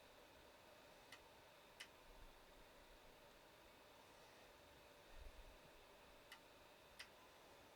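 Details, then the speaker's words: Eryone Thinker 3D printer at first power-up, while a button is pressed and the app searches: sharp single clicks in loose pairs over a faint fan hiss, likened to a relay. The source is unclear. "you probably can't hear that clicking but I can hear it clicking"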